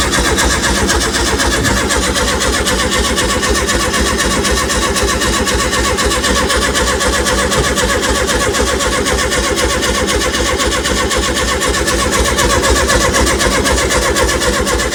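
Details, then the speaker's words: 1970 early T2 Bay Window VW campervan, freshly reinstalled engine, carbs thought empty: long steady crank at about two turns a second, never fires. Fuel now reaches the carb, leaking from an unclamped hose; owners suspect no spark. Cranks, no start. "Okay so we've got fuel just seems like we're not getting spark go keep going I guess so"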